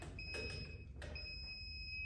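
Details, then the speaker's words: Non-contact voltage tester (hot stick) checked on ceiling outlet wiring before handling, for a cord reel install. A steady high-pitched electronic tone cuts off briefly and resumes. "if it makes that noise you know you got a problem"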